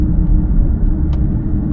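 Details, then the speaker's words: Deep, steady low rumble under the cabin from the rear while driving a used car, not the front; owner suspects the rear differential (says they're almost never transmission on these) and expects a roughly $600 differential to fix it. "Very strong sound in the rear. It is not in the front. So, about a $600 differential, and that should fix everything."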